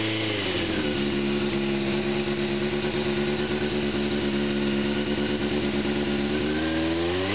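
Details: 1987 Honda CBR600F Hurricane after new spark plugs, now on all four cylinders instead of three, oil change and new battery: steady even four-cylinder idle with a smooth blip; healthy.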